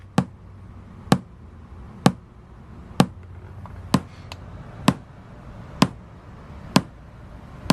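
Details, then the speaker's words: 2004 Toyota Sequoia after an aftermarket radio install, testing each speaker in turn. Sharp, evenly spaced single pops about once a second: speaker polarity test, polarity correct. "You hear that popping sound, that means one thing, polarity test."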